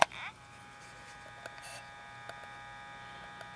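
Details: Sony WM-701C Walkman (auto reverse, Dolby B/C), powered by a gum-stick battery and playing: faint steady motor whine spinning freely with no tape transport sound; the drive belt needs replacing.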